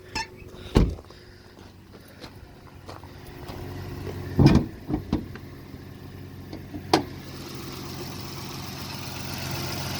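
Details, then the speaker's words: Car with 3.5 engine, high mileage, idling: quiet, smooth low hum with a few unrelated clunks, no ticking or knocking; engine sounds healthy. "let's say sounds good for as many miles around it and i believe it has the 3.0 i think that's what these came with"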